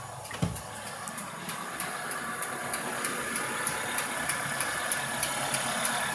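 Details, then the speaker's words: Renault Megane 2 with newly fitted Valtec LPG (gas) injectors, about 500 km since installation, cold unwarmed idle: light crisp regular ticking about three a second, clearly audible even inside the cabin; injectors knock since LPG fit, runs like a diesel, cause unknown. "То есть явно даже в салоне очень слышно звук форсунок."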